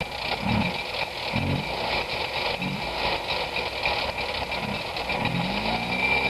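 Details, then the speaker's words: Zeta first start after ten years' storage, only fresh battery and fuel added, given a bit of throttle: light, even two-stroke putter with soft low pulses about once a second under some hiss, steady and not faltering; normal idle. "These haven't been running for 20 odd years or so. Do you hear that running? Yep, bit of throttle."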